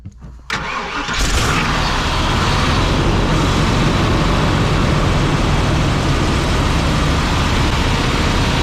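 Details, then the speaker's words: 1987 Class A Coachmen motorhome gas engine started cold after pumping the gas pedal: cranks, catches, then runs rough and uneven with no fast idle because the automatic choke doesn't work; cold-blooded hard start. "See, it's a little cold-blooded. It won't idle right away. Now, if that choke works, there's a fast idle mechanism that'll force it to stay idling until it warms up."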